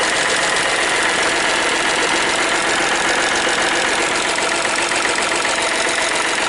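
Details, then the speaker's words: Hyundai Matrix 1.5 CRDI diesel, first start after replacing the hydraulic lifters. Light metallic ticking about 2.5 per second over a steady idle. New lifters still filling with oil. "сразу слушаем чтобы звук мотора при вас как-то выравнялся девять ребят вы слышите металлический стол к стоит"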